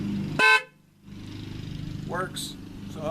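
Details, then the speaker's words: 2005 Dodge Grand Caravan horn after fixing a bad ground by splicing in a new ground wire: one sharp, clear, full horn blast; horn now works normally. "okay and now we're going to test it and make sure the horn works alright so now we're going to test the horn"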